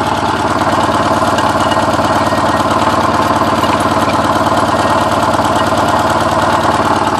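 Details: Porsche 944 running after ten years sitting, with all exhaust valves bent when the timing belt tensioner pulley fell off; a stumbling idle with a lumpy beat of about three per second and no steady rhythm, a rough misfire.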